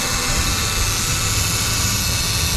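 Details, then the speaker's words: Vehicle idling with the hood open, customer complaint of hot air from the vents: loud, steady high-pitched scream from the AC compressor over the idle; compressor noisy, pressure not yet checked, charge possibly low. "Popping the hood. Rubisu! Wow, that compressor's screaming. You hear that thing?"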